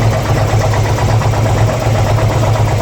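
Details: 2002 Harley-Davidson Ultra twin cam EFI V-twin at idle: loping idle with odd uneven pulsing about two beats a second over the exhaust thump; source of engine noise unknown.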